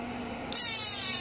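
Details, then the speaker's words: General MMA/TIG welding machine, after repairing the TIG high-frequency points that would not work, tested with a 100 W bulb load; sudden sharp hiss switches on and holds steady, high-frequency arc start now firing normally. "Oke ini udah normal guys ya dari bunyinya sudah ada suaranya juga bekerja"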